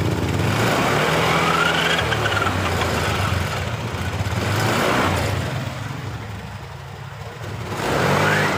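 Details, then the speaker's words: Honda Beat LED Deluxe scooter with code 7: engine starts but stumbles and pops unevenly when throttle is first opened, sometimes normal; faulty engine oil temperature (EOT) sensor circuit or loose socket upsetting fuelling. "Ini digas awalnya merebet seperti ini. Nah, ini. Nah, itu blebek blebek blebek gitu, Bro."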